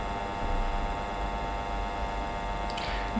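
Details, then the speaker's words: Fan motor throttled down to low speed on an electronic fan speed controller: steady electrical hum and buzz that disappears when speed is increased, which is why minimum speed trimmers are fitted. "That is why we have the minimum speed trimmers in our electronic fan speed controllers. When I increase the speed, the humming and buzzing is gone."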